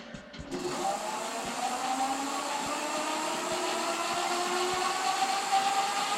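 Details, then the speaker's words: E-bike hub motor with KT 30 amp controller swapped in for a 23 amp unit, spun free at display assist level 5 before any parameter setup; quick spin-up into smooth steady turbine-like whine, no grinding or clicking; healthy hub motor. "goes did you hear that turbine sound man this Beast is going to fly"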